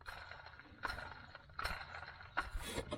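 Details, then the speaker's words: BMW 335i during drive belt and pulley replacement: a hand-spun idler pulley gives gritty, rattling scrapes about once a second, and the pulley also wobbles. It shows a worn bearing with scratches, so it gets replaced. "this one bought this one caught my attention you can hear it rattles"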